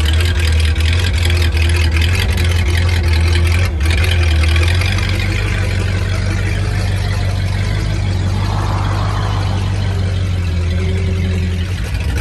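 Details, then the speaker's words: 1950 Ford flathead V8 flatbed dump truck, revived after sitting about 40 years, rolling at low speed around the yard: deep, smooth, steady rumble with no knocks or misfires. Drives pretty good; the engine runs healthy. "We got her driving. She drives pretty good around the yard."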